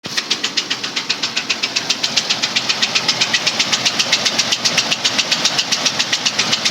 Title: 03 Explorer 4.0 Engine Knock